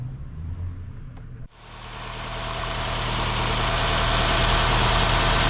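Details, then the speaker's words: 1990 Renault 5 1.4 C3J single-point injection, fully warm engine: catches and settles into uneven idle with irregular stumbles, missing, then stalls and won't restart; injector signal checked OK, injector and distributor cap later replaced. "Maintenant le moteur est en marche un état où il s'est éteint ne démarre plus et oui, il a des ratés."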